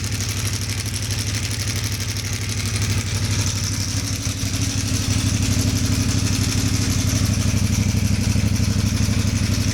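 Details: CFMoto 450 MT at 4,767 km, camera near exhaust: loud harsh clatter over the engine's steady low beat, louder than the exhaust and growing with revs; stuck cam chain tensioner piston letting the chain rattle.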